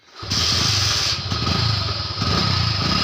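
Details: Yamaha Crux motorcycle cold start by kick-starter after blowing through a pipe to get the oil flowing: a few sputtering catches, then the single fires and settles into a steady, even putter; starts and runs fine.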